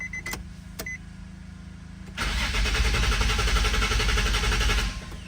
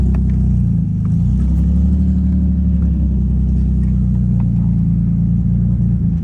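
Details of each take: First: 2005 Nissan 350Z with unfinished VQ35HR swap, 69k miles, abandoned, full tank, fuel pump heard priming: about 2.5 seconds of steady even cranking, never catches; crank no start, cause suspected, possibly something unplugged up top. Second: 2005 Nissan 350Z with VQ35HR swap, 69k miles, running for the first time since 2018 after coolant bleed and fluids topped off, weak-sounding fuel pump: steady, even low rumble with no stumbles or knocks and a brief throttle blip; normal idle.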